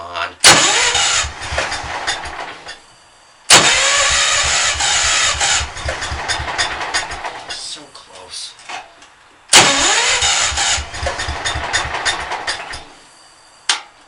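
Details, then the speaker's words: B100 that has not run more than 5 minutes in a month or two, engine cold, always hard to start: three long cranking bursts with a lumpy, uneven churn that almost fires each time, then dies away; hard starting. "this thing this thing is hard to start it always is when it's"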